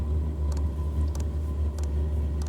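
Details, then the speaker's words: Aftermarket diesel air heater in a Sprinter van, just started and ramping up; steady low fan hum with soft fuel-pump tick about every 0.6 seconds that speeds up, heater running normally. "now the heater kicked on, blowing a little bit of air out. And it'll gradually ramp up, and then it'll level out, and it won't be as loud. And as you can hear, the pump gets faster,"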